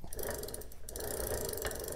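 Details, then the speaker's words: Razor MX650 electric dirt bike freewheel spun by hand before removal: rapid, harsh ratcheting clicks with no smoothness, sounds super dry and worn from long use, due for replacement. "if you can hear how bad this sound yeah it sounds super dry this thing's been used for a while"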